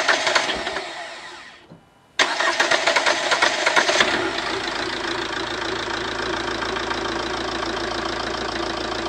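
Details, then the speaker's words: Ford Transit Connect diesel after injector seal replacement and battery reconnection: short crank, starts straight away and settles into a steady, even idle clatter. "as you can see it cranked up straight away more or less just give it quick turns with the key didn't want to over crank it"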